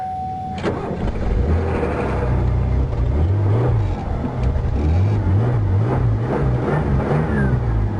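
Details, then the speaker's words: Ford Crown Victoria, jump-started off another battery: strong crank catches and settles into a steady, even idle with no knocks or misses; normal start and idle. "Make sure she stays idling. And then I'll pull the cables off once I make sure she's going to run."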